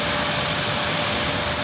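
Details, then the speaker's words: Water pump motor running after repair of a burnt wire, capacitor checked OK, pressure built and reset pressed: steady, even hum and whir, no knocks or surging; works automatically again. "ये देखें आपको आवाज़ आ रही है, motor चल रही है।"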